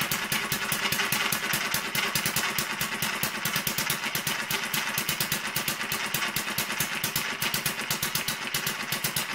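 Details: Newly finished Kerzel hit-and-miss model engine, water-cooled with spark ignition, just started and still running in with a stiff governor and tight, noisy gears. Crisp, evenly spaced firing beats, several a second, slowly quickening as it frees up. Normal break-in running.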